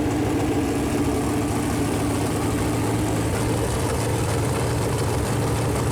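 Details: Chevrolet Performance 454 big-block V8, fresh engine build on a run-in stand, first fire-up with header paint burning off: smooth, even idle with a steady low rumble and no knocks or misses; temperature around 190, oil pressure good; normal idle.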